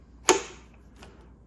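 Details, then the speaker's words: Honda CT70 clone (Icebear Champion) with a Nibbi 22mm carburetor and Nibbi short-throw throttle, engine off: sharp click as the throttle snaps fully closed, twice. This is correct; without the click the idle will give trouble. "That's what you want to hear. That means it's closing all the way. If you're not getting some sort of a click like that, then you're going to be instantly fighting issues with your idle."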